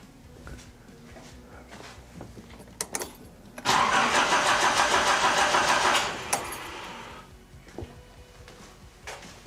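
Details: 1980s Nissan 200SX, ignition coil and igniter under test: the starter churns steadily for about two seconds without catching; crank no start, owner wonders if the igniter and/or coil were killed.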